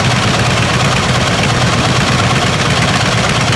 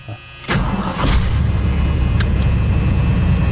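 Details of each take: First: 1979 Ford F150 351M V8 idling with an uneven, stumbling miss; two spark plug wires may have been swapped, corrected by rechecking the firing order. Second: 1979 Ford F150 351M V8 in neutral fires up quickly and settles into a steady, even, deep idle after a miss was fixed by straightening the plug wires in the firing order; now running on all 8.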